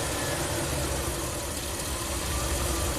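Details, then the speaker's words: Ram camper van that stalls after hot soak, before repair: idle labouring and sagging from the 650 rpm target down to 400 rpm toward a stall after blipping the throttle. "it's trying to maintain 650 RPM gonna do it can it do it it's down to 400."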